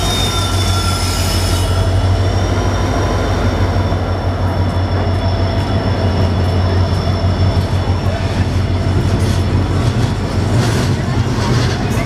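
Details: Kalyan WDP 4D locomotive hauling the 11018 Karaikal–Mumbai LTT Express entering Renigunta Junction. A high steady squeal over a heavy rumble as it slows with brakes applied. Normal brake screech.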